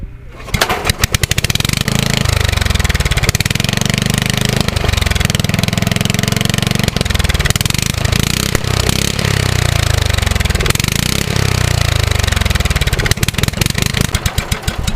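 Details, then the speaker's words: Lawnmower small engine after fitting a new carburettor O-ring, pull-started: a few pulls, then it catches and settles into a steady, even, busy beat with no misses or knocks; runs fine. "it runs all right so I've been having a lot of brainstorms because I just took it outside and I started it again and it runs beautifully"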